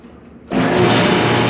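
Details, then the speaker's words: Large old salamander diesel shop heater, long unused and restarted in a warehouse: abrupt start into a loud, steady roar with even fan rush, no surging or rattle; runs normally and puts out strong heat. "That thing rocks, but it's loud."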